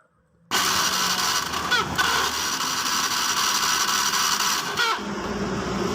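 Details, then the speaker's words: Fuel-injected motorcycle (Beat FI) that won't start, fuel pressure at a normal 40 and compression good: steady high starter whir with no firing while a test lamp on the coil's yellow/green negative-signal wire stays dark; crank no start, no negative signal reaching the coil. "di sini tidak ada untuk lampu Tidak nyala tidak ada tegangan atau tidak ada sinyal negatif dari nah ini sekarang yang harus kita cari dimana penyebab hilangnya sinyal negatif yang masuk ke koil ini"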